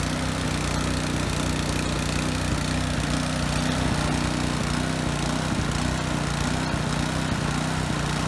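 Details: Husky HU80709A power washer single-cylinder engine after carburetor cleaning, single fixed speed, pump removed: a steady, even low drone with no misses or knocks; normal running.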